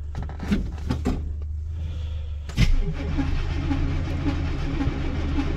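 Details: 1986 K10 truck, carburetor and choke recently tuned, sat about 1.5–2 months in a tarp garage, cold start at about -6° with key on and pedal pumped once: short crank, catches with a thump, even steady fast idle; normal cold start and idle.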